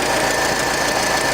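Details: International Scout with carburetor and choke, accelerator pump not working, after a new wire was run from the alternator exciter to the coil because it died off the starter: steady even run with gritty rasp, no misses, still warming; normal running.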